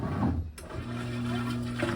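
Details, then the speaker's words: GE top-load washer after motor replacement, diagnostic mode load test: drain pump runs with a steady low hum and slight whir after a brief pause; normal drain pump operation. "that's a fast agitate next one is drain pump"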